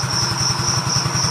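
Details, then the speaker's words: Yamaha Mio GT FI scooter after engine repair, worn CVT parts (boss roller) still pending: even steady thump about five beats a second with constant whirr, no knocks or misses; engine now idles smoothly. "Hai kemarin mengupload ya suaranya sekarang mah halus"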